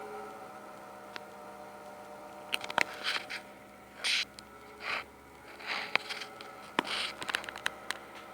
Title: Corsair PSU SUPER LOUD NOISE